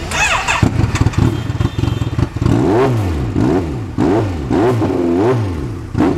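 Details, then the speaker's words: Kawasaki Z900 four-cylinder on first run after rebuild: catches and blips up and down smoothly, no knocks or rattles, all cylinders working; rpm still fluctuates somewhat; normal running. "चलिए देखते हैं, स्थिति यह है कि bike चल रही है, यह स्टार्ट हो गई है।"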